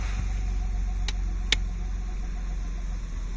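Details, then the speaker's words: Nissan Skyline idling with exhaust valve closed, after exhaust manifold gasket work: steady, even low idle burble with a muted boom, no misses or knocks, less boomy than valve open; owner plans to open the valve only at high revs. Normal idle. "You can hear it's not quite so boomy with it closed. I'm not going to be using it at low revs, so it's only going to be when the thing's at full chat on a race strip or something."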